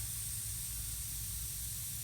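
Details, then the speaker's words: Steady, sharp hiss that never changes pitch or level, nitrogen escaping from a pinhole in an HVAC refrigerant line worn by a taped run wire; system was flat, condenser not running. "yall can probably hear the nitrogen and right there nice pin hole caused by the run wire on the"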